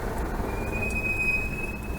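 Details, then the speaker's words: Land Rover truck while driving: a thin, steady high squeal over road rumble; reportedly squeaks in first, second and third gear; engine and gearbox sound fine; suspected brakes, possibly rear brakes missing shims, unconfirmed. "The hills are alive with the sound of squeaking. To me, it sounds like brakes."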